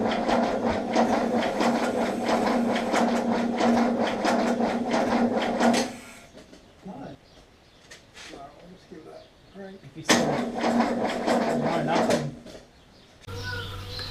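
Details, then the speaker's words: 1979 Holden HZ one-tonner ute, parked outside for years: steady, brisk cranking at about four beats a second, turning over better after a battery cable fix, but no firing; spark at the coil but none at the plug, so the points gap is reset next. "so you know it's turning over much better now though we sought out the battery cable we're getting a spark from the coil but still still no spark to a plug"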